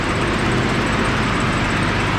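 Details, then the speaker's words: Nissan R31 Skyline TI petrol engine idling after exhaust leak repair: steady idle with a faint, quick light ticking, typical hydraulic lifter tick; exhaust leak gone, runs smooth. "just typical Li The Tick but oh it's gone ah yes I can't feel any pups thank God"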